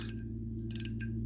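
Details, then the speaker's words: Vintage Korean-made Daiwa 100X fishing reel, handle turned: crisp, evenly spaced clicks, a steady light ratchet with nothing rough underneath; normal anti-reverse. "so as you know this R has uh this type of anti reverse uh you can hear that clicking"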